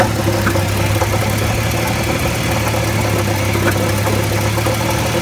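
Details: Jeep XJ 4.0 at steady idle with a light, fast rattle over the low hum and no clear knock; engine rattle of unknown origin, flex plate checked tight and seemingly not cracked.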